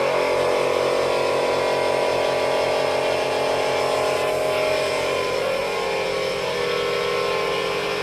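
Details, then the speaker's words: ARB 12-volt twin air compressor in a Jeep filling a 2-gallon tank to 150 psi in 1 minute 35 seconds: loud steady rapid chatter of twin pistons, even and unbroken; running normally. "So at 1 minute 35 seconds, it filled 150 psi for a 2-gallon tank. That is pretty impressive."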